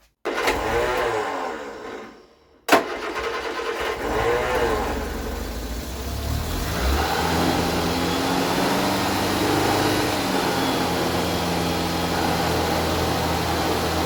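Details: Vauxhall Viva barn find, carburettor work: short crank, then the engine catches and settles into a steady, even idle with a slight rev; starts and runs cleanly after the too-lean mixture was richened, before warm-up and timing.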